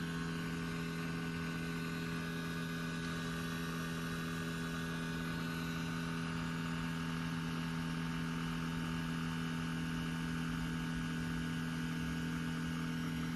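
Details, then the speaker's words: Lexus RC F parked with engine off, noise from the rear; steady low hum with fixed tones like something completing a cycle; cause unclear. "but this is a little bit different from what I heard before now that as you know as you can hear it's it's sounds a little bit different it's like it's maybe completing some cycle"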